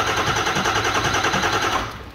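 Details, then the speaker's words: 2000 Ford F-350 7.3 Powerstroke diesel during HPOP dead-head test, pump unhooked and IPR not energized: steady, even cranking with no catch or fire; no start because the injection control pressure regulator isn't powered and no high oil pressure builds. "Okay so we've got nothing there this is why you have to fulfill the IPR"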